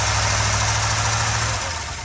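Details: 1979 Chevrolet C10 V8 on a revival start, choke held open and fuel return leaking: heavy, lumpy idle with a deep uneven burble that sags toward the end; rough and unsteady. Cause suspected, not confirmed.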